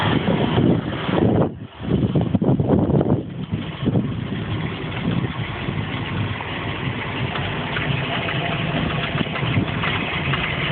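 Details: MerCruiser 7.4 L V8 boat engine starts and runs well but makes a strange noise at idle, even in gear: rough rumbling idle with busy uneven clatter; cause unknown.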